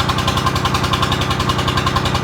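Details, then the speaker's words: 3-cylinder Lister diesel in a flooded harbour boat, 8 litres of water pumped out, first run on fresh oil: even chugging about eight pulses a second; rpm had been searching, maybe air or crankcase water, now running steady. "So you can hear the RPM changing and we're standing here so it's searching. Maybe it's air in the system or maybe maybe it's it's a little bit water in the crank case."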